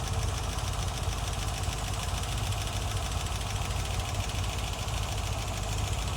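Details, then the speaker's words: 1963 Corvette C2, numbers-matching 327/340 hp solid-lifter V8 with 4-speed manual, after a full tune-up with new plugs and an Edelbrock 650 CFM carburetor: revs up quick, dense even roar with strong intake rush, no knocks or misses, healthy. "just how a 340 horsepower engine is supposed to run revs up really quick and Powerful you can hear it sucking all that"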